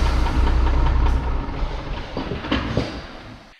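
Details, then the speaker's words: MAN TGM 18.340 truck, D0836 LFL65 diesel, 745,889 on the clock: heavy uneven, lumpy running with a stumble each cycle and smoking; diagnosed no compression in cylinder six causing misfire. "Chẩn đoán động cơ, không nén ở xi-lanh thứ sáu, quãng đường đi được 745.889 . Đây là cách nó hoạt động đối với Chúng tôi, hơn nữa nó vẫn bốc khói"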